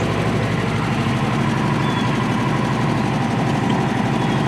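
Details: Friend's Polaris RZR 1000 (2,879 miles), used as a comparison for an ECU swap test: smooth, steady normal idle with an even low thrum, no knocks or ticking, no codes.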